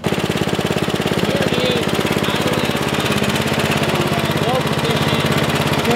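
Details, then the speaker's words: 1973 Simplicity 738 riding mower, unused about two years, after a tune-up and carburetor needle adjustment into the main jet. It previously died at low throttle from lack of fuel. Now it holds a steady, even low-throttle idle with regular firing and no stumbling. Normal idle. "whenever I went and put the throttle in the low position and was just cut off it would just die it wasn't getting enough fuel so I have it in the low position right now it's actually idling"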